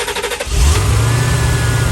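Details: 1989 C4 Corvette TPI V8 after fuel pump module replacement for long-start issues: fuel pressure primed and holding, then the starter cranks briefly, the engine catches fast and settles into a steady, even idle with no stumble. Starts and idles normally.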